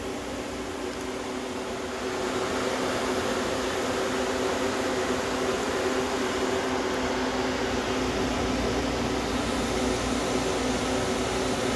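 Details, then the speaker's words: Homemade air conditioner at first start-up, running about 155 high side and 50 low side: steady even hum with a constant mid tone and fan rush, no knocks or rattles; compressor running normally. "I just want to plug the compressor in at least you can hear it come on now there you go compressor runs nice and cool"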